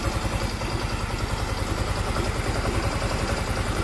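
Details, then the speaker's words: Mio M3 scooter at idle before teardown and head porting; fairly smooth but not fully, with a light quick ticking and unstable idle rpm, also clearly heard when blipping the throttle gently. Valve-train ticking from worn rocker arm and camshaft. "ini kondisi stasioner lumayan halus cuman gak halus-halus banget ada suara kemelitik dikit terus dia ernya enggak stabil juga"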